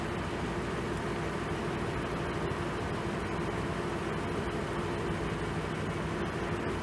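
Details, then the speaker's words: 2006 Ford E450 6.8L V10 about 12–30 minutes into the second Blue Devil sealer run: deep, even idle with no misfires, exhaust dry and coolant level not dropping; head gasket leak appears sealed. "okay so we got no more misfires she's running silky smooth"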